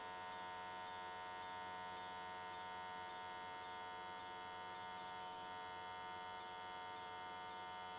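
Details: AC TIG welding S13 catch cans, likely aluminium, on square wave at 95 Hz with adjusted settings: steady, constant buzz with no popping, sputter or wandering; stable, clean AC arc.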